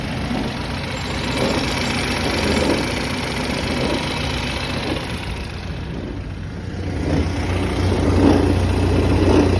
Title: BMW 330e Strange noise from transmission area, only present at 900rpm. Rev it past and it goes away